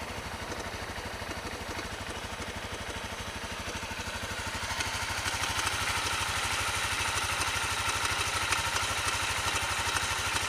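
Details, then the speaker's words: Honda CRF250L with EJK fuel controller, knock only in the first ~5 minutes of riding, at idle with clutch in or out: light, regular tapping rattle from the top end, about three firings a second; cam chain tensioner knock. "as you can hear if you can hear it well uh like I can it um it doesn't sound too pretty so it worries me it's definitely coming well it seems to from the top end of the engi"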